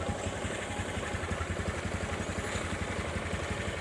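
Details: Honda Supra 125 carburetor engine with rough noise when hot: small single idling evenly about three beats a second with a light metallic rattle underneath, a worn balancer bearing; piston replaced to cure knocking, oil leak at valve cover.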